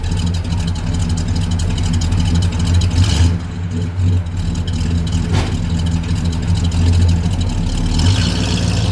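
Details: 1978 Ford XC Cobra barn find, first start in 6 years: loud, deep and even idle with a steady low beat and no misses or knocks; starts and runs cleanly after long storage.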